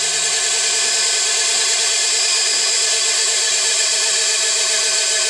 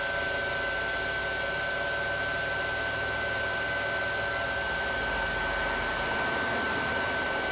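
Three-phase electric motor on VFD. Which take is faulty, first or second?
first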